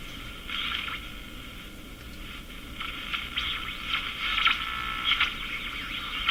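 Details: Canadian Crosley Model F-5 radio during capacitor replacement: steady high-pitched heterodyne whistle over hiss, drifting slightly; cause unknown, owner suspects very bad alignment.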